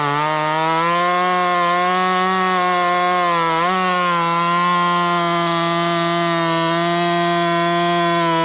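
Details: Ported Husqvarna T540 Mark III top-handle chainsaw (Red Beard Saws), third tank and not fully broken in, warmed up, quick file on chain: strong steady high-pitched note holding evenly through the cut with a brief dip under load; normal cutting.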